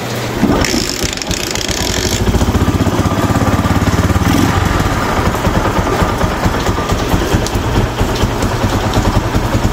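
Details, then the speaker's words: Rouser 135 motorcycle after repair of its smoking problem, restarted with no airbox fitted: it starts quickly and settles into a quiet, even idle with no tapping or misfire. The smoke is gone and the engine is healthy. "Yan, napakaganda na ng ganyang minor. Tahimik na tahimik, tapos nawala na rin yung usok niya."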